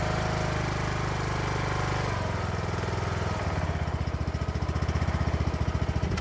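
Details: Craftsman mower with Briggs & Stratton single-cylinder engine, new carburetor whose sticking choke was fixed by modifying the intake pipe: starts rough, then settles into a steady, even putter as the choke comes off; runs normally.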